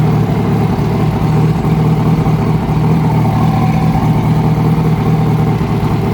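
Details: 2006 Yamaha R1 engine revving, with a deep, uneven knock of roughly two to three a second; a new updated cam chain tensioner made no difference, and the noise was found to be the #4 rod bearing.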